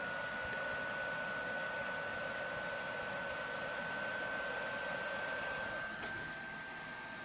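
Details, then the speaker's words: PS4 Pro running a game, before cleaning; loud, steady rushing roar with a thin whistle on top and no letup, fan running flat out; very loud cooling fan. "I hear this even if I were to pull this out you know it's not gonna be as loud but it's still freaking loud"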